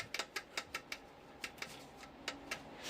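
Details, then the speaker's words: Kukirin G4 electric scooter riding over bumps: short, sharp, high squeaks in irregular bursts, about three or four a second; owner suspects the rear shock, possibly its top mounting bolt, cause not confirmed; suspension squeak. "Мужики, я столкнулся с такой проблемой на своём G4, что вот такой вот звук у меня появляется, когда я езжу по ямкам. Слышите, как скрипит?"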